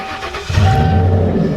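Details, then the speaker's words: Car starting after a budget battery relocation that uses thick jumper cables as the battery wires, run through the firewall to a floor-bolted battery box. Half a second of quiet, then it catches at once into a strong, even idle: a clean, healthy start. Thinner cables tried earlier only ticked. "And watch this, guys, fires right up."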